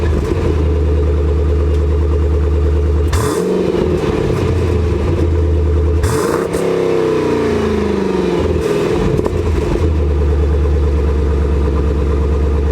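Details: Jeep SRT nearing 100,000 miles with a Borla ATAK exhaust whose spring-loaded back-pressure valves squeak: deep, steady V8 burble at idle, with two sharp throttle blips that sweep up and drop back cleanly; healthy engine and exhaust.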